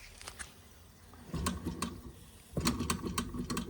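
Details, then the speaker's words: Wilesco D6 small steam engine on solid fuel tablets: faint, soft, uneven mechanical ticking at about three beats a second as the engine runs down; owner blames the poor tablets. "Yeah, I don't think we're going to get much more out of this now cuz them them tablets are not good at all."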